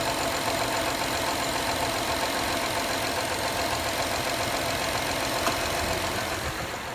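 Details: 2013 Honda Accord EX-L V6 warming up in cold weather with a busy, loud, uneven clapping clatter of roughly three or four beats a second; it occurs every cold warm-up.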